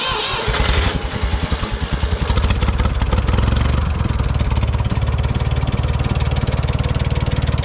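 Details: 1968 Ford 4000 diesel tractor started just after a water pump repair and refill with 50/50 antifreeze, left to run and warm until the thermostat opens. Cranks and catches within a second, then settles into an even, steady idle with regular firing pulses and no knocks.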